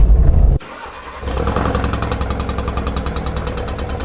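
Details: 2016 Ford Focus RS, before going to Ford: engine cranks and catches, then settles into a lumpy, uneven beat about four per second; rough running in a car that needs a new engine. Rough running.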